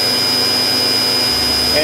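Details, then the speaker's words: 1999 Daewoo DMV-500 vertical machining center spindle running at 8000 rpm with a smooth, steady high-pitched whir, no vibration, rumbling or grumbling; normal spindle run. "finally eight thousand as you can hear it sounds good no vibration whatsoever no rumbling or grumbling just as you'd expect"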